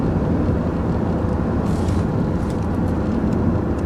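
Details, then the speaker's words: 2001 Jaguar X-Type 2.5 V6 manual petrol after transfer box oil change at 114,474 miles, recorder on floor near transfer box, 60 mph in fifth: steady low road rumble, no whine or drone; transfer box running smooth. "sign so I'm rolling along at 60 MPH in fifth gear and it's sounding very smooth"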